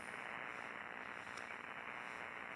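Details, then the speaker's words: Suspected electrical line noise received on a ham radio, present on all bands including AM and up into VHF, and coming and going: a steady harsh hiss and crackle with no signal underneath. The source is unconfirmed. "all right I think that's electrical line noise it's on all bands it's on am it even gets up into VHF uh it's just that that really bad static"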